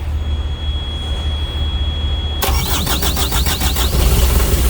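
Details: Carrier/Thermo King reefer unit diesel that ran out of fuel, after priming at the bleeder valve: steady high buzzer tone, then cranks and catches quickly into even low rumble; starts and runs normally.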